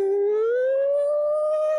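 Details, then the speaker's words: Yamaha Mio M3 125 after replacing the full primary and secondary final drive gear set damaged by water in the gear oil: clean tone rising smoothly while revving, with no gear noise. "kalau ini dari bawah sampai naik ke atas Alhamdulillah enggak ada suara"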